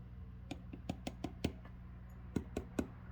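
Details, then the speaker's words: Original Fender Vibrolux Reverb amp: a quiet hum with sharp, irregular clicks in the output as a valve is tapped; microphonic tube or dirty socket suspected. "can you hear that it's uh definitely putting something on the audio so that means that either this socket is dirty or uh the tube structure is not great"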